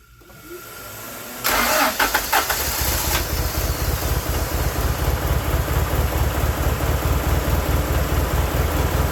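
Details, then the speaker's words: 1995 Honda Prelude 2.3 VTEC that stalls while running and won't restart without pressing the accelerator: long crank before catching, then a rough, uneven run with misfire; extended crank, hard start, owner suspects worn engine and fouled plugs, not idle control valve. "it'll shut down while running and it'll have an extended crank and it can't crank and it it can crank but it can't start up on its own without pressing the accelerator pedal"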